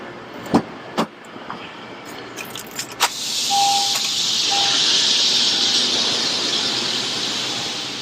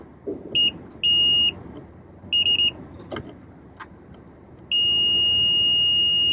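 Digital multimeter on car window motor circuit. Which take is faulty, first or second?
second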